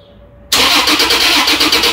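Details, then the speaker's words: 2015 Toyota Tacoma, 175,000 mi, full rusty fuel tank, scan tools falsely showed fuel cut/immobilizer: even fast cranking with no firing; power and ground confirmed at pump connector; crank no-start, failed fuel pump not running. "So we've got power and ground. We're across the black, red, and we're across the white, which is chassis ground back to the frame. I've proven that my electrical circuit will operate a fuel pump if it worked."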